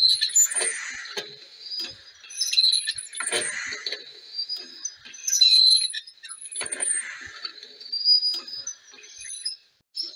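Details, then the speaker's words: Mk3 horizontal stationary Stirling engine, running as the fire dies down, with a new mild-steel annular regenerator, lubricators and brass piston guides: sharp high squeaks and chirps in repeated bursts; source unclear, binding piston slide suspected. "there is quite a lot of squeaking going on it I'll just turn the microphone around a bit lots of speaking no I don't know what all these noises are"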